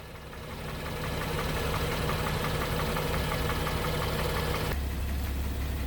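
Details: 2016 BMW X3 with 21 active engine codes: steady idle with an uneven tapping, roughly four knocks a second over a low drone; abnormal engine noise.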